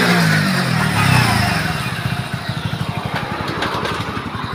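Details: Hero HF Deluxe BS6 FI 100cc self-start motorcycle, idling after clutch plate replacement and fresh oil: steady, even putter of about three beats a second, no knocks or rattles; runs fine.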